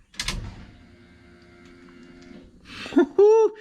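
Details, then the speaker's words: 1973 Chevrolet truck with a 6.0L LS swap: a click at key-on, then a faint two-second hum as the fuel pump primes normally, after the pump wiring was made permanent to the factory harness; the engine did not start afterwards. "Did y'all hear it cycle the fuel pump and hopefully start it?"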